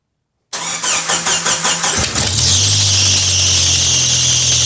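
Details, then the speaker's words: 1997 Jeep Wrangler 2.5L with poor power and code P0118 (ECT sensor), fuel pressure gauge fitted, started in neutral: cranks with quick chugs, catches, then a loud steady high screech over idle, the fan belt squealing; blown exhaust manifold gasket also noted. "Alright, well, besides that was loud, for those of you who had headphones on, I was not expecting the fan belt to screech."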